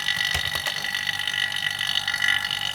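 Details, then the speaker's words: Vacuum pump on a Polytron refrigerator after puncture-leak repair, now at full vacuum with gauge at 30 (psi/inHg) before refrigerant charging; steady thin high-pitched hum with little low-end chug, sound distinctly changed from before vacuum; deep vacuum reached. "Oke teman-teman sudah Vakum ya terdengar dari suara bunyi mesin vakum ini teman-teman karena kita bisa membedakannya antar lebih sebelum vakum dengan yang udah vakumnya beda suaranya"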